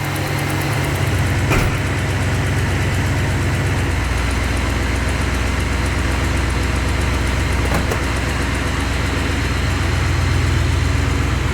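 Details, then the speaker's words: 383 stroker V8 in a truck, just after engine repair (exhaust manifold gaskets instead of RTV), idling outdoors during warm-up with a deep, even lope and no knocks or ticks; a couple of small exhaust leaks remain and fuel pressure may need raising. "sounds good couple of small exhaust leaks ii's gaskets instead of RTV this time because i chewed up the manifold just gonna let it warm up"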